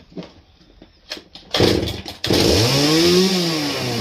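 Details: Old Husqvarna 268 chainsaw, first start with chain very loose: revs with harsh metallic clatter over the engine; broken chain brake band lying against the clutch.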